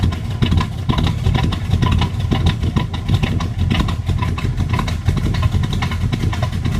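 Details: 1980 Camaro Z28 327 small-block Chevy with Comp Cams kit K12-212-2: choppy, uneven loping idle with deep lumpy exhaust pulses, normal for the aggressive camshaft.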